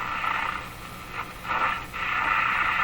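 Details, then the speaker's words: Moffat (Crosley) G2465 five-tube radio at first power-up on about 91–100 V. Hissy, warbling whistles swell and fade as the dial sweeps with no station locking in; shop interference, not a received station. "that sound is a interference sound I hear in my shop all the time so this radio is receiving not receiving a stationary"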